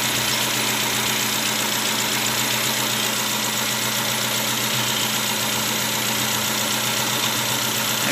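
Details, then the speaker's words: 2010 Nissan Latio petrol engine on premium fuel idling unevenly with a faint stumble; coil or spark plug suspected; cylinders 1 and 4 ruled out, problem in 2–3, with a cylinder misfiring on an oil-fouled spark plug. "untuk gejalanya temen-temen kemungkinan besar ini di bagian koil kalau tidak koil di bagian bus"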